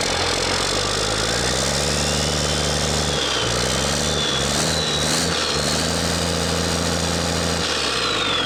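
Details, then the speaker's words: DT408 NGD diesel (P7100 pump, to be rebuilt as DT466) idling after first firing, no knocking: slightly uneven loping beat with one cylinder pulling weaker; number one firing less well than the other five, a lazy cylinder, cause not determined before teardown. "So number one isn't firing as good as the other 5, so we've got kind of a lazy cylinder. It's still firing, but let's just tear the whole thing apart."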